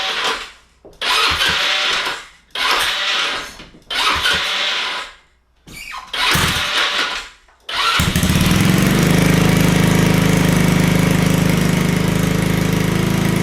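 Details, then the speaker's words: Honda Ruckus (GY6) scooter, sat 2–3 days, battery charged: four short starter bursts before it fires on fifth and idles steadily; hard starting, cause not confirmed, usually restarts faster once ridden. "now I'm going to show you it takes like a couple tries for it to start see and do you hear it kind of wanting to engage"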